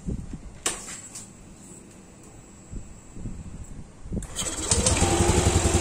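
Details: Yamaha Aerox scooter after cam chain tensioner replaced with homemade manual tensioner: fires up after a few quiet seconds and settles into an even idle, no more sewing-machine clatter from the cam chain; normal idle.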